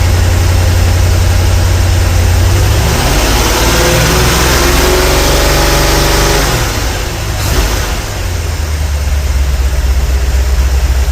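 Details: 454 big block reassembled and at about 36° total timing advance, with four mufflers fitted: uneven exhaust pops at idle and on revving, stopping once warm until revved; owner suspects a bad spark plug or a lifter.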